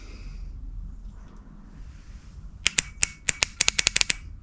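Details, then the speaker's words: Honda CB450/CB350F project starter solenoid bench-tested on a freezing January day, one side grounded and the other on battery positive: rapid dry clicking bursts as the plunger snaps, with a whiff of smoke. It works, but the contacts are dirty and need cleaning. "There's a little whiff of smoke I saw. But it does work. So, let's clean this up and see if we can get this to make a contact."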